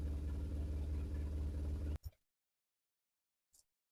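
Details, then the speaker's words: BMW R1150RT boxer twin, first run after clutch and starter motor strip-down rebuild, tank not yet fully refitted: low even thumping idle about two seconds then shut off, no obvious misfire; sounded all right. "So a better result than I was thinking. What I'm going to do now is just put the tank back on properly, and I'm going to just make sure that the lines aren't interfering with the throttle, and it sounded all right."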